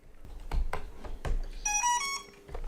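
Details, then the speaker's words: AquaRobotMan NEMO underwater ROV being set up, buoy on and battery screwed in tight: a few handling clicks, then a short bright rising chime of clear tones; normal boot-up chime. "So did you hear that boot up chime?"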